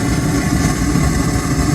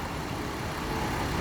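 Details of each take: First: 2016 Hyundai Azera V6; lumpy uneven idle with irregular dips in exhaust beat. Launch scanner reports misfire on cylinders 2 and 4 and random misfire; cause worn spark plugs. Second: 2016 Hyundai Azera V6 after misfire diagnosis with Launch scanner: engine idling smoothly, steady low hum, no stumbles; previously shaking.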